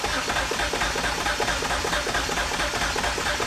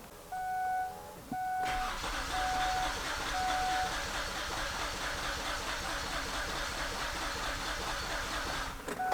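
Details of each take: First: 2006 Kia Sorento with misfire codes P0300/P0301/P0303/P0305, a rattle and a raw-fuel smell, cranking with the fuel fuse pulled: steady, even starter cranking rhythm. This suggests no compression imbalance. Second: 2006 Kia Sorento with misfire codes P0300, P0301, P0303 and P0305, raw fuel smell and a suspected internal rattle; the starter cranks about seven seconds during a compression test with a slightly uneven rhythm: low compression in two cylinders.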